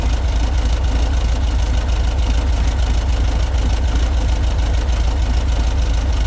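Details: VW bus air-cooled 1776 cc single-port flat-four, dual Dellorto carbs, mechanical fuel pump, built 2003, ~5K miles, non-ethanol fuel, first start after 5–6 months sitting; steady even low idle rumble, no knocks, misses or hunting; healthy.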